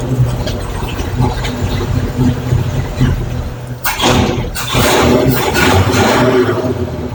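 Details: 1962 Chevy C20 engine after new fuel pump and filter, with compression, points, plug gap, timing set and rebuilt carburetor; uneven cranking churn for a few seconds, then catches into a rough loud, smoky run; starts fine.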